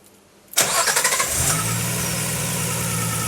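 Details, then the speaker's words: RB-powered (GT-R engine) Datsun 240Z with turbo and ITBs on the dyno, restart to check earlier intermittent knock (cracked oil pump considered): short crank, quick catch, smooth idle, no knock; oil pressure 35 lb at catch; normal start. "nothing perfect fine fine and immediately as it's cranking I can see it Go 1 2 3 4 5 and then by the time it catches it's got 35 lb"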